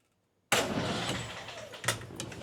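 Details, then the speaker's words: 1968 Land Rover Series 2A 2¼ engine, not started for 30 years, after reconnecting the solenoid wire and repairing the original ignition switch: starter spins briefly and engine catches cleanly with even firing; normal crank and start. "So in theory if I crank over now the engine should crank over."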